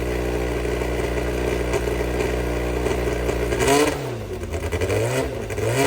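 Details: Brabham BT21 historic one-litre F3 race engine, first fire-up after rebuild (new crank, balanced conrods, new sump), not yet warmed: loud steady fast idle with sharp clean throttle blips; oil pressure good, normal running.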